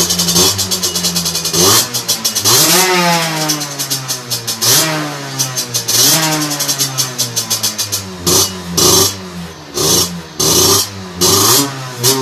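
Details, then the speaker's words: Two-stroke moped with 17.5mm carburetor on a bench, oversized 210 main jet fitted: repeated revs with rough, burbly, uneven note that won't clean up at higher revs; running too rich from oversized main jet. "voilà on sent que c'est trop riche"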